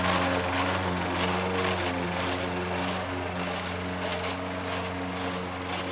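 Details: Old Toro Recycler mower with bad transmission, mowing: steady engine drone with rough uneven grind riding over it as it drives; worn drive transmission.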